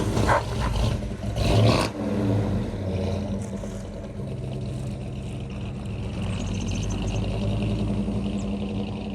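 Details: 1963 Ford Galaxie 500, dual-carb 390 V8 with manual gearbox, test drive after a leaking carb float with a bad solder hole was fixed: deep rumble pulls away and settles into an even, steady drone, no stumbles or misses; running properly.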